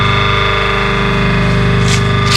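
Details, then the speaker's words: 1 HP clutch-type motor for a small flour mill, after repair of current, noise and push-start problems with bad shaft and bearings, mic held close: steady, even hum with no knocking, rubbing or rattle; running smoothly. "पूरी smoothly चल रही है, कोई भी इसके अंदर आवाज़ नहीं है, बहुत बढ़िया।"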